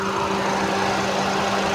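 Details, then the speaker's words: Maruti Ertiga with a no-crank no-start fault, radiator fan driven by jumping its connector pins with a single wire: steady whirring hum with an even low tone over the idling engine, no ticking or rubbing. Fan runs normally. "चल गया sir पंखा चल चालू हो गया पंखा sir इस तरीके से ही आप पंखा भी डेट कर सकते हैं गाड़ी स्टार्ट भी कर सकते हैं"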